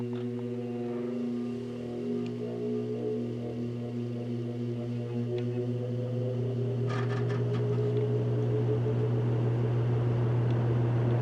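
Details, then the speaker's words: Vintage General Electric 3-speed reversible box fan, heard from the back on startup, stepping through low, medium and high: low hum with tones sliding upward as blades spin up, no rubbing or rattle. Normal startup. "but let me turn it around I'll give you a run up from the back because it has some pretty cool startup sounds"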